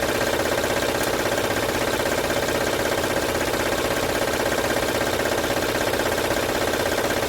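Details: 2006 Honda Odyssey at idle, no stored codes: steady, quick rattle two to three beats a second over the idle; timing belt area suspected, not yet confirmed. Engine rattle.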